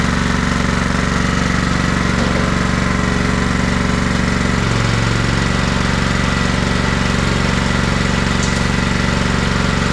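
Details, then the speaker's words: Craftsman riding mower, Kohler Command 16.5 hp engine, after long storage; steady even thumping idle, no misses or surging, outside burning junk off the muffler with smoke likely from a slight oil leak; earlier tappiness from hydraulic lifters pumping up; normal idle. "Well, it's running good. It's burning a lot of junk off of that muffler."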